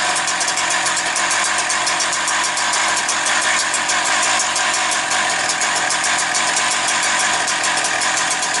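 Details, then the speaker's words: Husqvarna 365 two-stroke chainsaw idling, still warming up (revs expected to drop when warm): fast, even buzz holding steady without stumbles or surging; normal idle. "700. Отак можна трошки добавити. Вона нагріється, вони ще впадуть навіть,"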